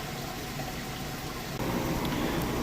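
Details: Maytag HE top-load washer, like-new, start of rinse cycle: steady rush of water filling, stepping louder as flow picks up, no knocks or grinding; normal rinse fill.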